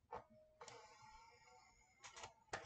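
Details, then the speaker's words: Water-damaged PS4 after board cleaning and trace repair, testing with a Tony Hawk disc. The drive previously sounded very rough, like a failing motor. Now soft clicks as the disc loads, then a smooth, even spin-up whine: loading normally. "sounds a lot better going in it was very rough and the disc is actually spinning oh it's i can hear it working i can hear it working"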